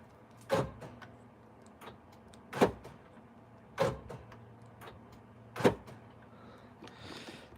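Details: 1998–2003 Dodge Durango after replacing the door lock actuators: several crisp, solid clunks a second or two apart as the locks cycle, no grinding, buzzing or the old squeal; normal door lock actuator operation.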